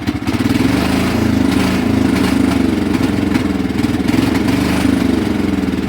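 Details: Cub Cadet HDS mower engine, running poorly on its own after revival, deck removed and rusty: idle keeps sagging as if about to die, then picks back up in an uneven hunting rhythm. Surging, cause unclear; it had sucked in the air-filter bolt.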